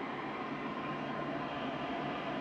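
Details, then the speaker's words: Modified IQAir Compact air purifier, seized original motor replaced with an inline centrifugal fan, at full power, moving about as much air as before: steady, even airy rush, no rattles, ticks or pitch wobble; healthy. "is probably moving about the same amount of air as it did before"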